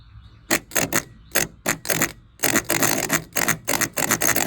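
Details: 1977 Chevy LUV starter, off a truck that sat 18 years, bench tested: rough rattling clatter in uneven bursts each time it is energised; broken starter nose housing.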